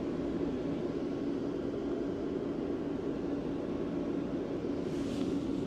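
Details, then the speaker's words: Parking heater in a converted vehicle, with a constant soft fan roar and low steady hum, no rhythm changes; warm air is coming out and the heater is running normally. "yeah there's there's warm air coming out of that"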